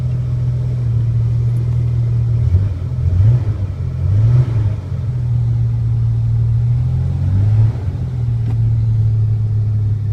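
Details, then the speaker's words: 1986 Ford Ranger, 1990 2.9 engine, 1988 computer, manual, cold: steady even low drone at raised fast idle with small speed swells, idling high until warm (tachometer wrong); normal cold idle before the warm-running bucking problem appears. "It idles high till it's warm, but my tachometer is wrong."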